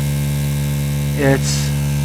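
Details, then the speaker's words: Diaphragm pump on a solar-powered straw bale garden reservoir, emptying it in late October after frost, flowing about 22 gallons (60 liters) an hour: loud steady low hum, a bit noisier than a centrifugal pump but running normally. "because it's a diaphragm pump and not a centrifugal force pump, it's a bit noisier. Not excessively noisy in my book,"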